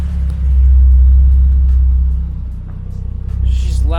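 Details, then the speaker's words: Toyota Supra 2JZ inline-six after cleaning gunked idle air control valve (IACV), which had caused bad idle since purchase; loud deep exhaust burble, even pulse, no hunting, idling consistently though it usually goes erratic near operating temperature; normal idle. "so she's loud but as of right now she's idling consistently"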